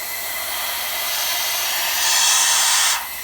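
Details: LBSC Tich model steam locomotive running on compressed air: steady hiss of air rushing out the exhaust, swelling for a second even with the throttle closed; valve timing is off.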